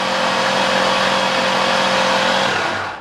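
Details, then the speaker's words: 2001 Ford Mustang Bullitt GT V8 after MHS Stage 2 NA cam install with new lash adjusters and followers, cranked to prime oil before startup: even rapid cranking about four beats a second, no ticking or clatter; nothing hitting. "Nothing hitting. Everything sounds good. Awesome. Good stuff."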